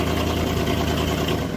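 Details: Old Chevy SUV tow vehicle at a loud, uneven low idle with lumpy, irregular beats and no steady rhythm; rough idle, cause not evident.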